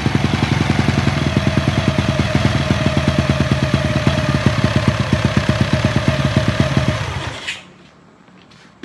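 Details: Honda EX5 single-cylinder engine rebuilt with 54 mm block, 102 mm crankshaft and Redleo 4-valve head, CJ Epo exhaust, DY90 frame: crisp regular beat held steady for seven seconds, then clean shutoff; healthy and smooth.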